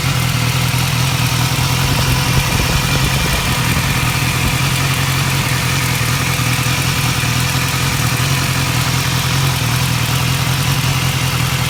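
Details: 2015 BMW S1000R, 4,600 miles, idling: fast light ticking over a steady idle and deep exhaust rumble, mainly from the engine's left side. It first appeared only at 3,000–4,000 rpm. The dealer called it normal; replacing the butterfly valve and cam chain tensioner fixed it.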